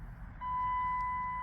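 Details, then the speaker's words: 2008 Dodge Grand Caravan idling with an engine stumble and code P0301, cylinder 1 misfire, while a steady clear chime near 1 kHz sounds: the oil-change reminder, not reset after an oil change. "And change oil. I forgot to reset it. I did change oil. Anyway, so I can actually hear it. Sorry about the chime."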